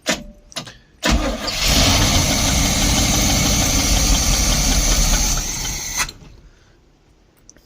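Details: 1972 Barth motorhome, unstarted for 15 years: starter clicks, then it runs roughly for about five seconds and cuts out dead. The fuel filter was leaking badly and started a fire; hard start, catches briefly then dies.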